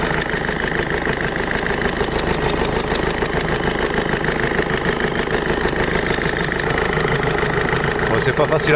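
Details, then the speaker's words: Peugeot 207 1.5 HDI diesel at idle, air filter removed: sharp even tick about three times a second over the clatter, the characteristic chuff of a leaking injector seal. "Mais on va d'abord la démarrer et vous allez voir un peu le bruit que ça fait. Alors pour info, c'est une 207 1, L5 DCI HDI pardon. Alors, je sais pas si vous l'entendrez bien en vidéo, le fameux cheat la lampe."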